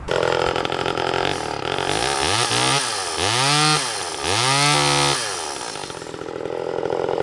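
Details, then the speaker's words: Vintage Homelite Super EZ Automatic chainsaw in presentation condition, original bar, not cutting: crisp two-stroke buzz revs up and drops back several times with clean, even throttle response; runs healthy. "However, let's start it up and hear it run."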